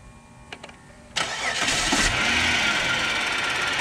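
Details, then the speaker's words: Dodge Charger after a 2.7L to 3.5L engine swap, remote-started; brief crank, then a fast, fairly regular tick around three per second over the idle, which began suddenly while driving the day before; owner suspects a stuck lifter — ticking on startup. "So you hear the lifter lock. You hear, I think that's the lifter knock if you hear it. It just started that yesterday. It literally just started while I was driving."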